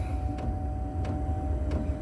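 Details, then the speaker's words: Chinese 8 kW diesel heater starting on battery module, glow plug drawing about 5–7 A: soft steady exhaust blowing with a crisp tick about every two-thirds second as the fuel pump pulses; normal startup. "I can hear the exhaust blowing now."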